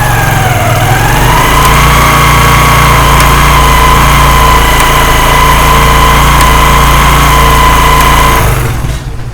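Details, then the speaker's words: Motorcycle running with a steady whine and a faint, regular tak-tak ticking from the drive chain; mechanics would blame a worn sprocket, and the fix involves removing the front chain sprocket. "सबसे पहले आप बाइक की चैन की आवाज़ सुने। दोस्तों आपने गौर करना, ये टक टक करके जो आवाज़ आ"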